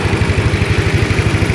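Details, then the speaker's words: Old Yamaha Mio scooter, previously dead with flat battery and burnt stator coil, new coil and regulator fitted; starts at once, steady low putter about eleven beats a second, no misses; normal idle. "Mantap ya, langsung hidup, mantap,"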